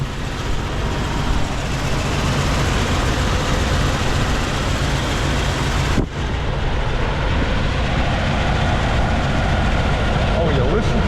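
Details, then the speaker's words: 1999 Jeep Cherokee XJ 4.0 listed as needing an engine, first start after plugs and wires refitted: rough, uneven loping idle with dropped pulses under a loud rumble; misfire traced to blown head gasket between cylinders 3 and 4. "it's a runner it's a runner it sounds like it's got a Miss but it's definitely a"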